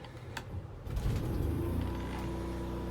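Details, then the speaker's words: Greyhawk motorhome onboard generator, primed by holding the stop button at least 5 seconds, then started by holding start. Brief cranking, it catches about a second in and settles to a steady, even hum, with the indicator light staying on. Normal start. "So now it's up and running, and you can hear the generator running. The light will stay on to let you know."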